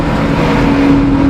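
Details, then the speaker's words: Daihatsu HiJet S83P mini truck on Maxxis MU07 Ceros 23x8R12 tires, lifting off the gas while driving: a steady low droning hum under the engine note. Driveline vibration on lift-off; owner suspects excessive driveshaft universal-joint angle. "Hear it? It's like something vibrating. What's up, Minitruck? I think I figured out where that vibration's coming from. That's too much of an angle."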